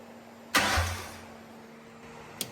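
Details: Custom Batmobile Tumbler build, engine briefly turned over from the starter switch without firing it up, because power steering is not hooked up yet; it ran great earlier. Half-second starter whir, then a click; it turns over freely.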